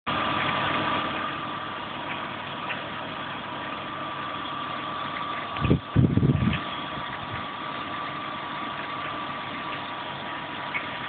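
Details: E36 BMW 320i at idle: steady hum with rough, uneven rattle and irregular ticking; source of the engine noise undetermined.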